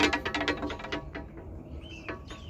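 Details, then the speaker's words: Jeep antenna rattle while driving: quick, uneven tapping clatter, about seven knocks a second, from the loose antenna slapping the body; fixed by sliding a cut piece of 5/16 fuel line hose over the antenna. "you're ever driving along in your Jeep and you hear a rattling sound then you figure out what it is but they can't figure it a solution to fix it"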